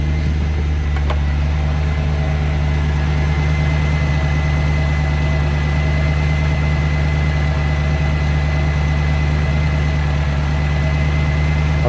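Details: 1994 Range Rover V8 after ignition, fuel and EFI fault work, running on petrol (runs poorly on LPG): deep, even, steady idle hum with no misses, knocks or hunting; running cleanly on petrol.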